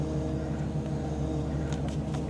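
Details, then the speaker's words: Truck on a cold start with all-new power steering parts, revs raised and brake pressed: thin steady whine over the engine (partly the cold-start fan), from air in the power steering system that won't go until it's bled. "but if you can hear that wine hear that one that's never going to go away if you don't bleed your system and everything's new here"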